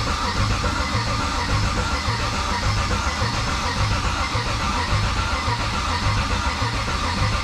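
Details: 1969 Chevelle on the starter after wiring the systems, building oil pressure before first start: steady, even cranking with a regular churn about once a second, no knocks or grinding; normal cranking, reaching 60 lb of cranking oil pressure.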